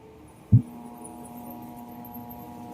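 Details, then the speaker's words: Altec Lansing 2.1 speaker system amplifier after supply repair (one rail measured 18 V instead of 12, now about 11 V): dull thump then steady low hum with faint overtones; mains hum persists, technician suspects IC damaged by high voltage. "Monitor natin yung supply. Bakit may ugong pa rin? Baka may problema pa."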